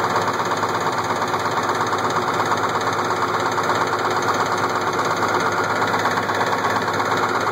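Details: Case IH 1680 with 8.3L Cummins diesel at idle: a sharp, regular knock about every half second. The knock started slow and got worse; a cracked cam gear with missing teeth was found under the timing cover.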